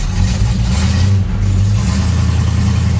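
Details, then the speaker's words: On an original Dodge Dart Swinger 340 just started, a deep V8 rumble has a slightly uneven, loping beat. It is a rough cold idle with the choke still closed, needing the choke to open. "a little rough going to need that choke to open up there"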